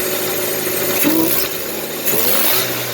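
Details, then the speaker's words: 1990 Mazda Miata 1.6 with a Jackson Racing M45 roots supercharger kit, AFPR and MSD timing card: each throttle blip brings a clear whine rising and falling with revs, building boost as it should. "Yeah, you can hear that whine. We are up and going, ladies and gentlemen."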